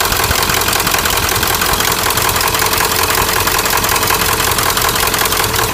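A steady, fairly regular knock, roughly 160 a minute, rattles over the diesel idle; the cause of the knock is unconfirmed.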